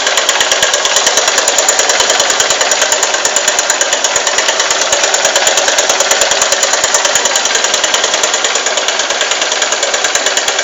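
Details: Honda Titan 150 motorcycle at start-up: a sharp, quick, even ticking rides over the idle throughout. Steady mechanical tick, cause unknown.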